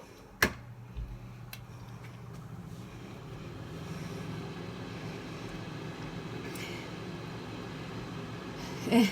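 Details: Hunter Ellipse bathroom exhaust fan, previously loud and stopping, after its motor was oiled: low, even hum holding steady with no crackling, rattling or stalling; fan motor now running smoothly.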